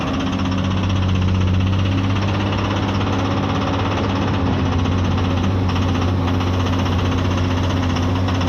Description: komatsu PC210-8 Abnormal Sound from Engine and heavy white smoke due to Injector failure..